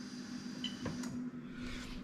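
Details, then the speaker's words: Toyota Crown 04-09 3UZ-FE VVT-i engine harness test, fuel pump triggered via scan tool active test after relay clicking: faint, steady low hum of the electric fuel pump running normally. "second of all the actual fuel pump i don't know if you'll hear it from there"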